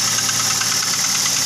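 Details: Toyota Avanza at idle with a fast, thin metallic chatter from the front of the engine; a worn timing chain needing replacement.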